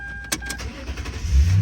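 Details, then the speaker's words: 2008 Toyota Tundra 5.7 with intermittent no-crank or delayed start and crankshaft/camshaft position codes, running on a jumper pack at 13.2 volts after codes cleared: brief crank, catches within a second to a firm even idle; wrong-size battery, fix is a new battery. "start it right back up with no problems whatsoever. And all the lights went away."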